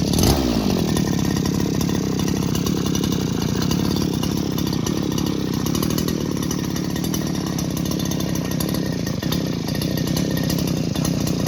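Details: Old two-stroke grass trimmer after repair of a no-start fault with a pull-start rope that stuck and would not recoil, refuelled with 2T mix: fires at once and holds an even, buzzing idle with no stumbles or surging; normal running.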